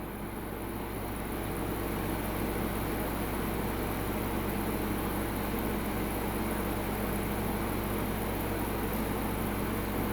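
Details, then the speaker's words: Midea U-shaped 8000 BTU window AC on high at 108°F outdoor heat, power climbing from about 836 to 860 W with ice-cold air; steady airy rush over constant low hum, no squeals or cycling; normal full-load operation. "So 839 is our high. Oh, 850, holy cow, man. It's really climbing right now."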